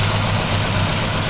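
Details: 2010 Chevy Aveo 1.6 Ecotec with misfires: loud, uneven, lumpy idle with a hissy edge from an internal PCV vacuum leak in the valve cover, where the PCV system is integrated; fix is valve cover replacement.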